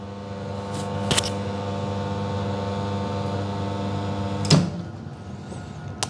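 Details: Serviced custom La Marzocco Linea Mini, no pre-infusion, pulling an espresso (43 g in 26 s): steady even pump drone with a couple of small clicks; pump running smoothly.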